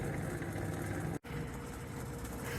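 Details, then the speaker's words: Refrigerator's worn condenser fan motor behind the fridge, shaking and barely working. It gives a rough, buzzing low hum with a rattly vibration, noise getting worse daily. "this fan motor here is crapped right out and it's shaking and vibrating and uh hardly working at all the thing"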